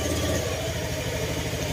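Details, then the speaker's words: Scooter just refilled with engine oil after running dry of oil, started on a weak battery. Steady, even, quiet low idle with no knocking or rattling. Normal idle. "Tahimik na tahimik na uli."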